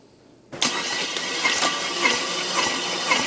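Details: Chevrolet Camaro SS 6.2 V8 OHV engine, cranked during compression testing with gauges installed (oil pressure good): steady fast cranking with even compression rhythm, no skips or grinding; turns over healthily.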